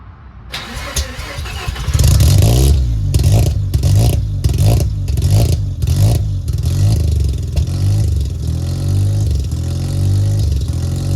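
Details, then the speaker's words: Mazda RX-7 rotary, sat over 2 years, runs after reconnecting the idle air control valve plug: cranks, fires, throttle blips, then a loud cold idle that hunts until warm; otherwise running fine. "so there she is all fired up I don't even know if you guys can hear me this car is so loud I love it so much"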